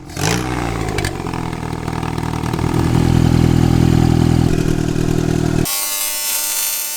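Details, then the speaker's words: 4G15 Mitsubishi Lancer turbo, shortened dump pipe, first start: engine catches, settles, then revs and holds an even strong note with no knocks or rattles before dropping back; normal free revving. "sounds really good that sounds funny as holy moly I love it"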